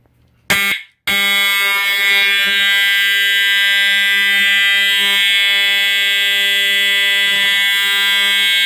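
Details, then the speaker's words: EST 7577AHS older Integrity horn strobe, continuous only, no code 3 option; loud steady low-pitched monotonous buzzing tone, no pulsing or wavering, lower than the standard Integrity tone; horn sounding normally. "Yep, that was really loud. Yep, this thing is so loud, guys. It does make that low pitch, monotonous sound, pretty much. It does sound like it is older."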